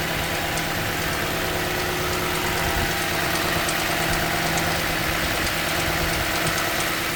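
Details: 2015 Toyota Sequoia V8 idling during morning warm-up, starting 3 to 5 minutes in: steady idle with light, fairly quick clicking about three per second; stops when driven, dealer could not reproduce; owner wonders about timing belt tensioner, unconfirmed.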